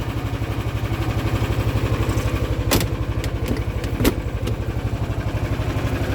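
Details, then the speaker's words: Cold start on full choke, choke previously stuck now fixed, on battery tender, starts at -10 °C, cold-blooded; steady low chugging idle about four beats a second. Normal cold start and idle. "this is on a battery tender so it should start up but it is definitely cold-blooded"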